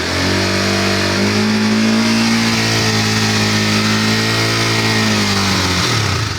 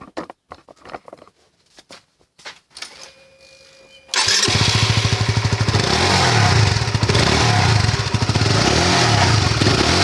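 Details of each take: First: Motorcycle held at 6,000–7,000 rpm after fixing exhaust heat shield rattle by refastening its two bolts with a rubber band packed inside; smooth steady drone, now quiet with no metallic rattle from the pipe cover. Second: Motorcycle exhaust heat shield rattling: tinny metallic buzz over the exhaust note, loudest around 6,000–7,000 rpm while riding; the lower fairing and the shield's two hex bolts are removed to inspect it.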